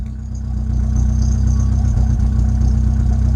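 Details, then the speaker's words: Rover 25 GTI, 1.8L VVC petrol, warming up after fuel filter replacement: low idle that briefly stumbles then recovers, slight hesitation; misfire not fixed by new filter, owner suspects spark plug gaps not checked with feeler gauge. "I don't think it has. There it is. Almost like it slightly hesitating."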